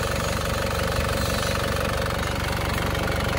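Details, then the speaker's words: Warm Panther diesel at about 78 degrees after an oil leak repair, pistons not replaced. Steady, even idle clatter at about three beats a second with no knock or miss. A healthy warm idle. "Nah, yang jelas sekarang adalah suara mesinnya halus, padahal kita tidak mengganti piston, kan?"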